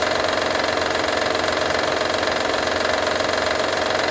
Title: Honda Odyssey 2012 - rattle sound